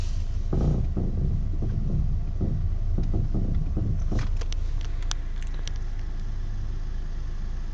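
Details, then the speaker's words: Audi A4 parked and idling, wheel rocked slightly, noise heard from the footwell: irregular light knocks and creaks with each wobble, something loose in the steering, cause unconfirmed; steering noise when wheel is rocked. "okay here's the noise i was talking about guys i'm shaking the steering wheel wobbling it slightly you can hear the noise get one from the foot well"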